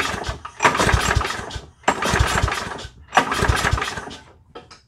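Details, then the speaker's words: End-of-season push mower pull-started with a spark tester attached: three cranking bursts, engine turns over but never catches; no spark at all, ignition failure needing deeper diagnosis. "Alright, so as you can see from the video, there was no spark at all in the spark tester. So we're going to have to dive into this one a little bit deeper."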